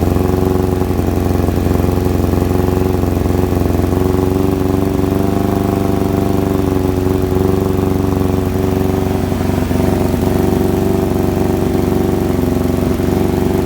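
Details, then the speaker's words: Kawasaki ZX-7R carbureted bike with faltering idle circuit, restarted after carb work, fuel on: steady even idle, smooth low hum, no hunting or misfires; normal idle, idling better than before, idle screw now working; owner suspects debris in idle circuit. "definitely ticking off a lot better than it was uh the last time we started it"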